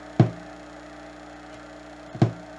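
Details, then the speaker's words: Yamaha HTR-5840 AV receiver, no subwoofer output, only hum/buzz: two sharp pops over faint steady hum as ohmmeter auto-ranges on subwoofer ground reading 6,500–7,000 ohms; open shield ground from damaged circuit traces, possibly ground loop or lightning. "but if I go from any other connector to the subwoofer ground I get like six and a half seven thousand ohms that's not right and you can actually hear it"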